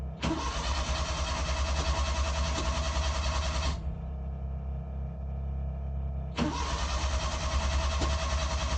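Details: Suzuki Carry Multicab F6A with crank-but-no-start problem: two spells of steady starter cranking, several seconds each, over a low background drone; engine turns over but never catches.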